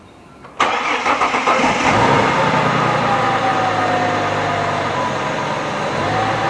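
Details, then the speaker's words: 2004 Ford Territory 4.0L Barra engine after intake manifold gasket replacement: catches cleanly and settles into a smooth, even idle with no hiss or whistle; leak gone, runs healthy. "I can't hear the leak anymore. So, that's all fixed up pretty good."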